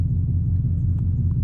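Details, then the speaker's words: Idling after the bad TPS/throttle body was replaced and the coolant hose bypassed on a 2003 Chevy Silverado 6.0L LS V8, 93-octane HP Tuners tune, stock headers, near straight pipe; steady even low rumble, no misses or shake, normal idle. "I'm gonna let it idle for like 3-4 minutes, or a little while, maybe more, see how it runs."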